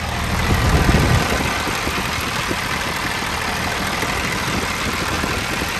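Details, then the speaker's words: Old International dump truck, parked about 15 years, mechanical fuel injection: diesel chugs steadily, running on with batteries connected, not dying; pinching fuel line fails, still draws air even with the air box choked. "it's connected to the battery and it's still running mechanical fuel injection doesn't need power for it to run so i gotta shut fuel off or shut air off one of the two"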